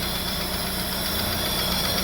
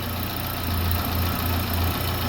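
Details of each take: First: Daewoo Nexia at idle, camshaft already replaced three times and a knock that comes and goes: even idle with a sharp, light ticking from the head; valve-train ticking from a loose valve in a worn guide. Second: Daewoo Nexia petrol engine after repair, cylinder head refitted, antifreeze added, fuel return line connected; steady even low idle, smooth unbroken hum, no top-end knock; earlier camshaft-like knock came from faulty Chinese valve guide letting valve wobble; normal idle.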